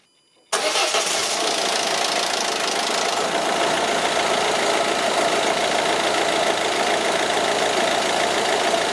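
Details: 2007 Peugeot Partner 1.6 HDi diesel (9HX, ~102,000 miles) first start after turbo cartridge replacement, pre-cranked with injectors unplugged for oil pressure: catches quickly, settles into a steady, even clatter, no knocks or whistles. Normal start and idle.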